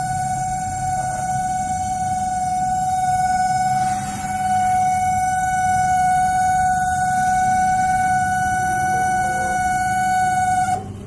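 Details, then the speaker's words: LG MS1911HE microwave oven on a 1-minute timer, loud steady hum with piercing whine from the cooling fan motor; fixed by greasing and oiling the motor. "इसका fan motor में आवाज़ कर रहा है। ये जो आवाज़ सुन रहे हैं फैन मोटर का आवाज़ है।"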